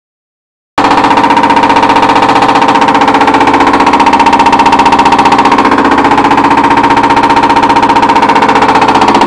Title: Duet Washer making noise during spin cycle